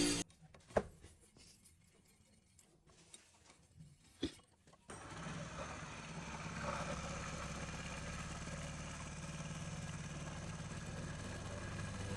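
After a few quiet clicks the bike fires and settles into a smooth, even idle with no chain rattle, sounding healthy.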